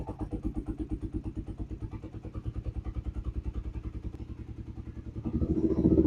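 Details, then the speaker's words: 2015 Yamaha YZF-R3 that sat for years, with rusted tank and failed fuel pump fixed, now on a new battery: a quick even crank of about five seconds, then it fires and settles into a steady idle, a normal start and idle. "All right, well, it started pretty quickly, so that's cool."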